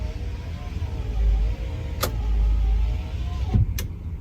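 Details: 2004 Ford F150 FX4, passenger-side power window going up during up-circuit voltage testing: a steady low motor hum for a few seconds with a clunk near the end as the glass seats. The motor sounds healthy; it was the driver's side that had failed.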